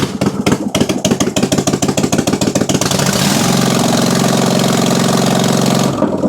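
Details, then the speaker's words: Simplicity Stallion zero-turn's Kohler twin, after head gasket and carb work, run with the exhaust removed: quick firing settles into a loud, steady, even roar with no stumble; runs great, pointing to a plugged exhaust. "seems to run pretty great without the exhaust hooked up."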